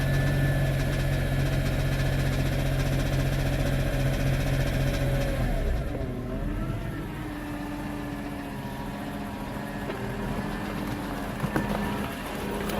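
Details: BMW E46 M3 idling with a steady low thump, roughly four a second, over the idle; noise developed overnight under normal driving, owner suspects rod knock, unconfirmed.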